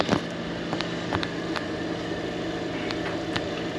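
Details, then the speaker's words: B&G circulator pump: steady humming drone with fixed whine and scattered rattling ticks; the bearing assembly is worn and noisy after motor mounts and coupler were replaced days earlier, so bearing assembly and impeller are being replaced. "now the bearing the bearings on the bearing assembly are making a lot of noise so we're going to be replacing that"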